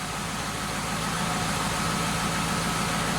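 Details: Car at idle just after replacing the oil pressure warning switch, mechanical gauge showing about 44 psi at idle, warning light now goes out on start; steady, even smooth low hum with no knocks or rattles, healthy idle.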